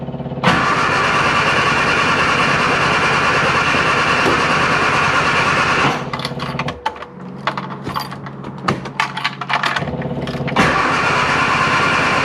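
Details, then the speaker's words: Classic Mini Clubman Estate left sitting with E5 fuel, fuel problem suspected: long, even cranking at about three turns a second, stopping and cranking again without catching; further cranking is stopped for fear of flooding the engine. "right no point cranking it's just gonna flood the uh flood the engine"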